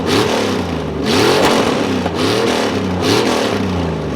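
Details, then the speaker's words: Ford 302 5.0 V8 ("Scrappy") during break-in, warm, shorty equal-length headers dumping open, new carburetor snappy out of the box; loud open-header V8 rising and falling through quick revs, crisp throttle, no knocks or rattles, running healthy. "know it's dumping right off of the headers, but damn does it sound good. I'm sure the shorty equal length headers are playing a big role in that great sound."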